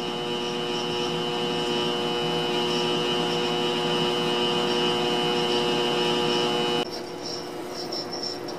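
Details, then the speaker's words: 1955 RCA BTA-5G 5 kW AM broadcast transmitter on air: steady even transformer hum that shifts slightly with modulation peaks; normal for this working transmitter. "listen to that transformer hum obviously I can't open that box because doing so would be incredibly dangerous"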